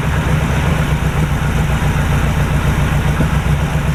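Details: 1949 Chevy restart after sitting since about 2005: low uneven idle with loose beat near four per second and smoke from both exhausts; owner suspects oil in heads via valve seals, hoping it clears.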